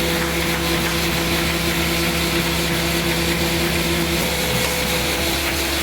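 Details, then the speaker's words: AccuCreaser air-fed machine in feeder mode at a selected variable speed, with its standard Becker vacuum/pressure pump: steady pump hum with a few even tones and a constant hiss of air feed; running smoothly, normal operation. "We select the speed that we need to run at, press enter, run, and feed."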